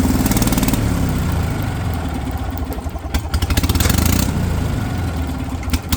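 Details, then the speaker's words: Kohler pancake twin on a three-wheeled street sweeper, revived after over 20 years sitting, with a fuel pump that would not work properly: chugs unevenly, surging and sagging instead of holding steady; fuel starvation. "fuel pump would not work. I'm keeping quiet here, guys. You can appreciate the sound of this thing come to life first time again."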